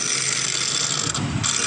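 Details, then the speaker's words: Hero motorcycle (Splendor/Passion Pro type) self-starter: fast tinny ratcheting whir with no engine catching, from a worn starter bush letting the armature rattle; starter to be opened after loose bolts and worn chain were found. "यह देखिए friends इस self भी बहुत बुरी तरीके से आवाज कर रहा है सेल्फ को भी खोलेंगे"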